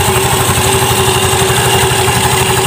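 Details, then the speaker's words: Automatic scooter after cleaning dirt, sanding and tightening bolts in the clutch area to cure judder (gredeg) at initial start: steady, even single-cylinder putter, no clatter, shudder or uneven beats; judder gone, normal healthy idle. "ini nanti geredeknya sudah hilang, Guys. Geredek di saat star awal tuh dia sudah hilang, ya."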